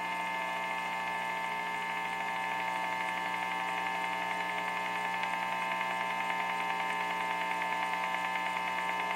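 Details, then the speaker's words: Steady electrical buzz with bright whining overtones and a faint fluttering pulse in a home-studio guitar amp, caused by an LG TV in the living room; the noise stops when the TV is unplugged. "it turns out that this tv lg tv in the living room causes this noise here"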